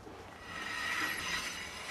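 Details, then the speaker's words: Car's rear brakes grinding; wheel off shows a thin outer pad and a deep groove from the inner pad, worn down to metal and eating the rotor; fix is new rear pads and rotors. "can definitely hear it grinding back here, so we'll pull this wheel off, off it comes, and if we look in here, we can see this side is really thin, but feeling the inside, there's now a big groove, which means the inside pan is worn down to the metal, and it's eating everything up"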